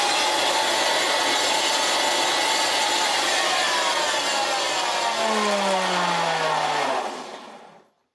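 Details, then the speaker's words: Hoover Senior 652A vacuum cleaner running without a belt: harsh, rough whirring with a gritty high hiss that falls away as it coasts down; noisy motor, owner suspects it needs new bearings. "This is sounds horrible."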